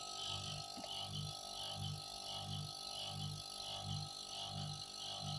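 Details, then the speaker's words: Refrigerator compressor running unloaded that draws 0.58 A where 0.4–0.5 A is the maximum. Steady low hum with a heavy, labored pulsing throb, a weak compressor, though a clogged filter is still to be checked. "Ini udah 0,58 ya hampir 6 ini kosongan. Dan iramanya seperti ini."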